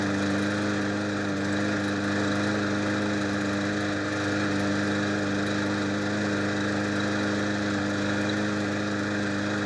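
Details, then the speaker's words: Trash-picked mower running after bolts were refitted and fresh gas was added; the old fuel had looked flaky. The small single-cylinder engine holds a steady, even drone with no hunting, misses or knocks; normal running. "Well, there you have it, folks. It runs, and that is an easy way to make money from the trash."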